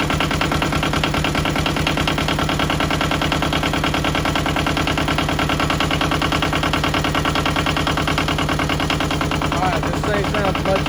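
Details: Yanmar 1700 diesel right after replacing a muffler blamed for lack of power: steady, even idle with a regular firing beat around three per second, no knocks or misses; the engine sounds healthy.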